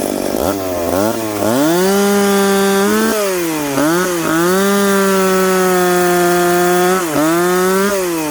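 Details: Piped McCulloch Pro Mac 850 two-stroke chainsaw cutting two-year-seasoned oak, tuned ragged-edge lean: high buzzing howl steady through the cut at about 10,300 rpm, dipping briefly under load and recovering cleanly; healthy.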